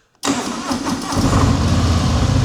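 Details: 2023 Harley-Davidson Sport Glide 107 (FLSB), about 1,116-1,166 miles, totally standard: quick crank, V-twin catches and settles into a firm, even loping idle with no knocks or rattles; healthy start.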